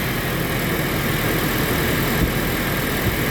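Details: Toyota Innova gasoline, restarted after fixing crank-no-start: fires and holds a steady even idle under heavy hiss, no stumbling or misses; runs normally.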